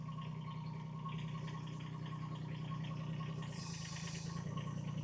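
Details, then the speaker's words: IRE20 Chinese mini excavator after removing excess hydraulic fluid to correct sight-glass level: steady even diesel idle with short hiss as bucket moves, no groaning or straining; sounds a lot better than overfilled; normal hydraulic operation. "Oh, that sounded better. A lot better, too."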